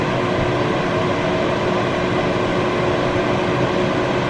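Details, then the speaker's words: Vornado CYLO50 air purifier, about 60 watts, on medium setting: steady even rush of air with faint constant hum, no rattle or wobble, fairly loud like a house fan; normal fan operation. "Alright, so I gotta be real here. It's a little loud. It sounds like a house fan, which essentially it is."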